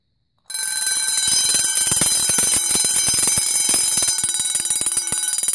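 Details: Two vintage Vulcan Autosonic Mk. 30-A (VA-M-30FT) windup heat detector bells set off together: fast, steady clanging about four strikes a second without faltering; both mechanisms ring properly.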